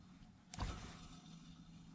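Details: Replacement electric motor for a vintage Sioux valve grinder, on the bench: steady, even hum, no clicking, unlike the old motor whose pulley clicked; normal smooth run.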